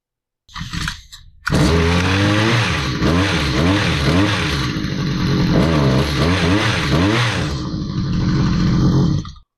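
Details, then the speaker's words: Stihl HS45 hedge trimmer two-stroke after crimping a loose kill-switch terminal: steady buzz with a few revs up and down, then cuts out cleanly when switched off; kill switch now works, high-speed needle at limiter stop still needs adjustment. "well our kill switch works but I want to be able to adjust this carburetor on a high speed a little bit"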